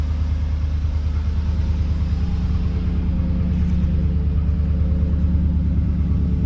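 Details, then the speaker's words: Chevrolet Silverado truck V8 at idle: deep, even rumble with a steady low pulse and no knocks or ticks; a healthy idle. "It's got a nice rumble to it."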